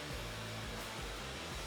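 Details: 3M Xtract portable dust extractor running on automatic on/off (A+ setting) with a pneumatic sander: steady even whoosh of airflow over a soft hum, no surging or rattles; normal operation.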